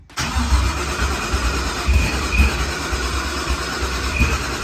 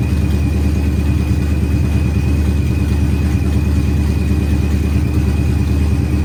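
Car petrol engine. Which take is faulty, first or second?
first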